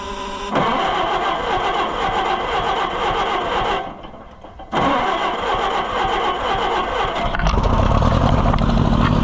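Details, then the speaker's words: Oliver 550 tractor just fired after flooding, with the choke fully out and the fuel having been shut off: it runs, sags almost to a stall, then climbs unevenly; an over-choked engine stumbling with a miss. "There she fired. Flooded bad. Not running very good. That was my fault."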